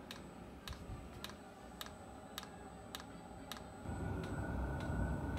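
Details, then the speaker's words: VEVOR diesel air heater kit, permanently installed, just started at about 18°C: crisp, even dosing-pump ticks about three a second over a soft fan hum. No leaks and no carbon monoxide; normal running. "è appena avviata perfetto unità avviata dovrò sigillare meglio qui giusto per sicurezza ma per il resto il sistema ormai è collaudato funziona non ho perdite non ho monossido di carbonio"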